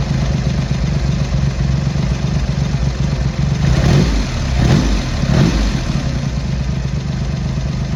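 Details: Triumph Hurricane X75 triple after carb rack rebuild, pilot screws richened, left carb adjustment corrected: even idle, steady low beat, three clean blips, no misfire; smooth, slightly rich with dark smoke off idle; road test needed for further tuning.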